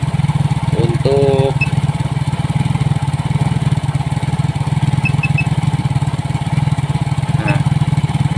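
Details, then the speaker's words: Yamaha Mio J scooter with a D03 IAPS error, now running with intake pressure below 50; only the throttle-opening angle remains off: a steady, even low putter at a settled idle with no misses or stumbles. "nah ini motor Kondisinya sudah hidup nah cuman sudut bukaan gas saja"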